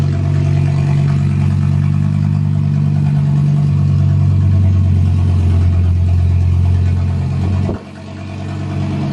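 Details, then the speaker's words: Skoda Octavia vRS with an RS3 five-cylinder swap and DSG, first drive with no power steering; very loud, deep drone, clear from about 40 ft, slightly uneven with a dip. Loud exhaust, engine not running happily. "that's how loud it is I'm about 40t away you can still hear it clear as day"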